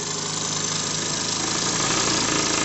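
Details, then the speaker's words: JLS 13-2 model twin-cylinder steam engine, turning slowly on low compressed-air pressure after a loose screw that jammed it was fixed; quick even chuff with steady airy hiss, no knocks. "et puis je pense vous êtes d'accord avec moi c'est ça qui est joli c'est de tourner tout doucement"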